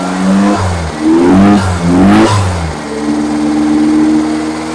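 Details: Freshly rebuilt engine during break-in, after reconnecting the vacuum advance line and correcting a backwards-connected fuel pump: quick throttle blips rise and fall cleanly, then it settles into a steady idle; running properly again.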